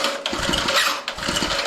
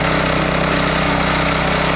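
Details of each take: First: Old Homelite gas water pump, unused for about a year, pull-started with choke set: a rough, raspy pull with uneven chuffs. The recoil starter one-way bearing is binding and can lock up the crankshaft and stall the engine. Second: John Deere gas-engine air compressor after carburetor rebuild, fresh fuel and throttle up: steady fast single-cylinder beat about four per second holding even speed while making air; engine runs cleanly, though some odd compressor-side noises are suspected.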